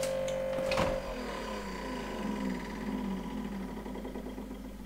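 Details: Late-model Samsung French door refrigerator with an awful noise: a steady high whirring hum that cuts off with a click as the door is opened, the noise stopping.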